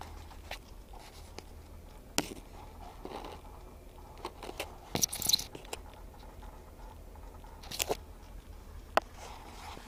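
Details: 2008 Ford F150: sharp dry clicks from behind the dash cluster area, consistent but intermittent; owners suspect the A/C heat actuator, cause not confirmed.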